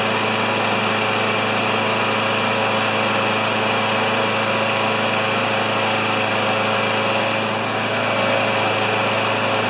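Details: Older Murray mower with 158cc Briggs & Stratton Classic engine, drill-started: steady, even engine note with constant pitch and no misses, surges or knocks; running smoothly.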